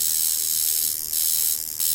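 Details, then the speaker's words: Jaguar Beast coil tattoo machine tuned as a shader, spring tension set with a weighing scale to about 300–330 g, voltage raised a little above about 4 V: fast, high, steady buzzy hum hitting cleanly. Normal running. "that's a really good shader the hit is hard enough but it's not that hard that it can damage the skin"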